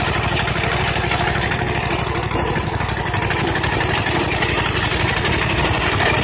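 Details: Freshly rebuilt custom 21 HP V-twin, first test run with no throttle: steady, even beat at about four pulses a second with no knocks or misses; running smoothly.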